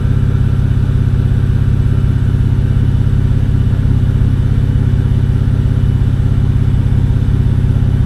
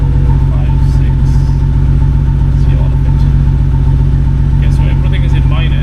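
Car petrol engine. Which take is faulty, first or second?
second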